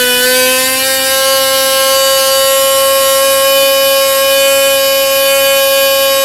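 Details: Jett .46 model engine with full tuned pipe, on a propeller test: a loud, dead-steady high scream around 16,500–16,600 rpm at the peak needle setting, with no sag or surging.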